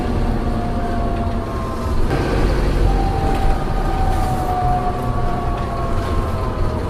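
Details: Optare Solo diesel bus (V263DRC) decelerating: over the diesel rumble and road noise, a steady high whine sags slowly as the bus slows. Gearbox whine on deceleration, cause unknown.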